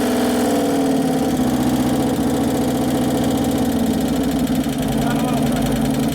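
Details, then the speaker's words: 2011 Harley-Davidson Road Glide FLT Twin Cam just after engine rebuild, first start-up while checking oil pressure: rough idle rising and falling as the computer fights it, with busy rapid top-end clatter from hydraulic lifters not yet pumped up. "that clatter hydraulics not pumped up yeah the computers fighting it that's why it's going up and down up and down because the valves that one still aren't working very good"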